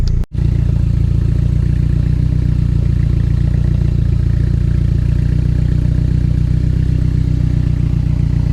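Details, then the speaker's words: Barn-find Mercedes 190E that sat for years, exhaust leak test after repair and removal work: steady even idle with soft rhythmic puffing under the exhaust note; blow comes only from the rear resonator, not the previously problem area. "It is only causing issues and blowing through Well, not causing issues. It's only blowing through the back. It's not blowing through the issued area."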